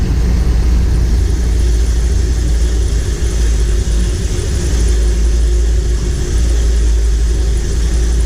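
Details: M37 Dodge after carburetor refresh and accelerator pump replacement: deep steady rumble at even speed, no misses, stumbles or surges; normal running.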